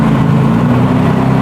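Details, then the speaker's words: BMW E46 with M52 engine and Precision 6466 turbo, first start after engine build, not run in a long time: steady, even idle with firm low hum, no knocks or misses; normal idle after first start, running cleanly. "It's running. You can breathe now."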